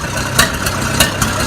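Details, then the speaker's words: Oliver 550 tractor diesel just after installing a new injector: loud clatter with uneven sharp thumps about every quarter second right after it fires; still running rough. "Ah. Alright, the driver outside. Still sounds like shit."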